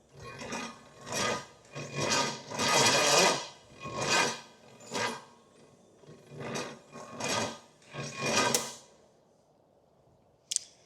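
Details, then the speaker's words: Pontiac 455 with new plugs and HEI, timed by the intake valve, tight and low on compression: slow, uneven raspy cranking bursts that never catch, with odd combustion sounds. Cranks but won't start, cause unconfirmed. "This thing does not have a lot of compression and it's really tight. So bad, really bad combo for trying to get something to run. But let's... I hear weird sounds like combustion going where it's not supposed to."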